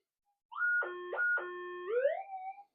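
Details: Minelab GPX-6000 detector with modified figure-8 coil, sensitivity cranked up in full manual: a ferrite core passed by the coil gives a loud warbling false signal jumping between high and low pitch that cannot be ground balanced out.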